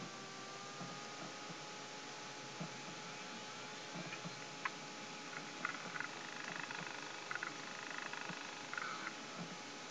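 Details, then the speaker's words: 1997 Western Digital Caviar WDAC22100-32H 2.1 GB hard drive that nearly boots Windows 98. After the startup click and spin-up, a thin steady whine with irregular ticks and scratchy chatter; owner believes the drive is dead, not confirmed. "after that nice little clicky sound you hear a little ear sound which I believe is dead sound"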